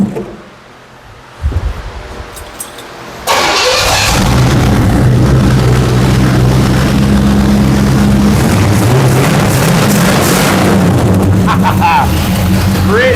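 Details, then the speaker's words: 1977 Pontiac Firebird barn find, sat 18 years, with an overhauled small-block Pontiac 350, after flipping the distributor 180 degrees and adding advance. A quick crank, then a strong, even V8 idle with oil pressure and no knocks, ticks or leaks. A normal idle. "Very very happy with that. She sounds good."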